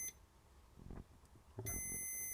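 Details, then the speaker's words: NiteCore New14 Intellicharger repair, multimeter across bridge rectifier pins: click then steady unbroken high-pitched beep regardless of polarity, continuous continuity; shorted diode in full bridge, possibly failed from heat. "So what I'm doing is I'm measuring really from that pin to that pin, and it's a short. The same from that pin to that pin. And I know you're going to say swap the polarity, but it doesn't matter because it's beeping continuously."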